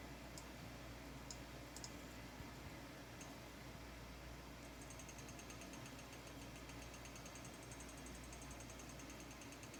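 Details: EVGA RTX 2070 XC Ultra graphics card, not overclocked, owned 1.5 years: right fan clicks as it spins, rapid light ticking over steady fan hum; fan wire under the blade not seated properly, catching the blades.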